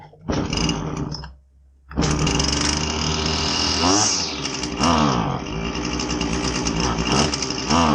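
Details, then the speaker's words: Husqvarna 525LS two-stroke string trimmer, with the customer complaining it is boggy: revs climb, then sag and stumble instead of holding a clean scream, bogging. "Today we're going to take a look at a Husqvarna 525 LS string trimmer. Customer complaint is that it's kind of boggy."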